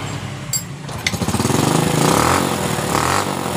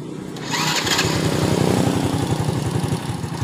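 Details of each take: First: Honda Supra Fit motorcycle after repair of dying on throttle (spark plug refitted); small single-cylinder revs climb and drop cleanly several times without bogging or cutting out; now takes throttle. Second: Honda Supra Fit motorcycle, before repair: starts and idles but dies when throttle is opened; lumpy, uneven idle of about four pulses a second that sounds ready to die.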